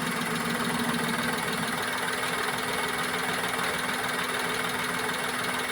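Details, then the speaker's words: Maruti Wagon R K-series petrol engine at idle, with low pickup, jerking and low mileage: slightly uneven, lumpy beat; unplugging this cylinder's ignition coil changes nothing, showing a dead, misfiring cylinder. "ഇത് നമ്മൾ അഴിക്കുമ്പോൾ വേറെ ഒരു ഫീലും കിട്ടുന്നില്ല കാരണം ഇത് നമ്മൾ അഴിച്ചു വിടുമ്പോൾ വേറെ ഒരു ഫീലും അത് എങ്ങനെയാണോ നേരത്തെ നിന്നത് അങ്ങനെ തന്നെയാണ് എൻജിൻ നിൽക്കുന്നത്"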